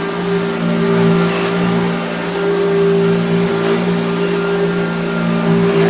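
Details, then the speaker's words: Hoover Dirtsearcher Junior vintage vacuum cleaner after the bent armature was replaced with a new pattern-part armature: steady smooth motor hum with an even high whine, no rattle or scraping. Normal running. "so this is have a brand new it's a pattern part but a brand new armature listen to it now"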